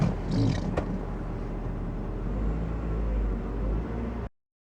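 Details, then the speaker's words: Warm engine idling after erasing codes P0101/P0172 and cleaning the mass airflow sensor and throttle body: brief thump then steady, low, even rumble with no misses; normal idle. "Now I'll start it up and see if the codes still come up. Well, I started up. Well, I got the door open and I don't have my seatbelt on. That's why the lights are on there. But that blue light is when your engine's warm. But it's idling good."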